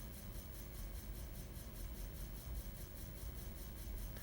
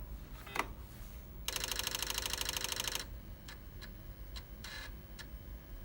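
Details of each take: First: Old floppy disk spinning in a computer's drive, started by an assembly command, gives a quiet repeating shh-shh-shh about five times a second: the disk rubbing against its degraded, discoloured inner sleeve lining, shedding magnetic material onto the drive heads. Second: Floppy drive motor spinning and stepper moving the head in small steps; very quiet, even sound, normal floppy drive operation.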